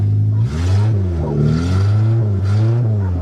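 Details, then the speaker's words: Suzuki Swift, rolled over, running on a makeshift fuel system: engine climbs and falls cleanly through several throttle blips, pulling smoothly without misses; normal revving. "Works perfect. This thing fired up great this year."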